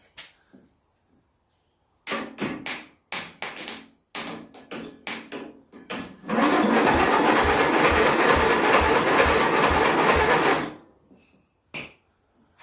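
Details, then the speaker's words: 27-year-old Murray riding mower from a scrap yard, history unknown, first crank attempt: starter in short bursts then long crank with even regular compression pulse, air sucked at intake and out exhaust, no clanking or banging; engine turns over healthily. "What I heard I heard the engine turning over. I didn't hear no clanking and banging around in it. I heard a compression."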